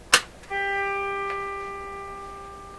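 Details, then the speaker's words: Rogers Majestic (Philips) RM503 farm radio with collapsing B+ supply: click at switch-on, then thin steady buzz fading as the tube is driven into cutoff. Tube cutoff buzz from collapsing plate voltage. "You could hear the tube get driven into cutoff right there, that last little bzz."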